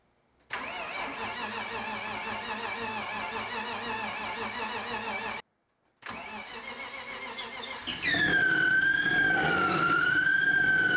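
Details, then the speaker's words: Turbo BMW E36 with rebuilt M50 engine, first start after months sitting, oil pressure 60 psi: cranks, catches, cuts out, restarts, then loud high squeal wavering with revs from somewhere in engine bay; source unknown. "all right there seems to be an annoying ass noise coming from somewhere in the engine bay"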